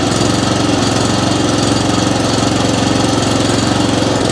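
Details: Atco Commodore B17 cylinder mower single-cylinder engine chugging fast and loud, uneven beat swelling and sagging after choked start; hunting and surging from lean mixture, fuel delivery issue, not enough fuel coming through.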